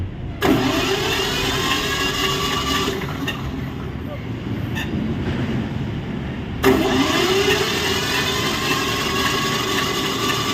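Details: Sawmill (serkel) engine in a running test after work, electric-started: cranks and catches quickly, settles into a steady even run, then restarts just as cleanly; healthy start and running.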